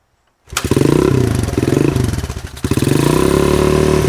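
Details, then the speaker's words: 1983 Honda XL200R, first start after 15+ years parked, carb cleaned and a temporary gas tank fitted: kick start, then the single settles into a steady thumping run with gentle blips; sounds healthy, little smoke. "all right well there she is living again it's been a long time it's really cool to hear it run it actually sounds really good doesn't smoke too bad or anything"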